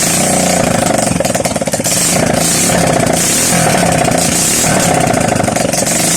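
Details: Honda XRM 125 single-cylinder after overhaul, first run after reassembly: steady even idle, no knocking or clatter; normal healthy idle.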